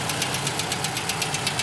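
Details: Toyota Camry XV55 2.5: sharp regular ticking about eight per second over steady idle, a light metallic knock appearing during warm-up that disappears or quiets once the engine reaches operating temperature.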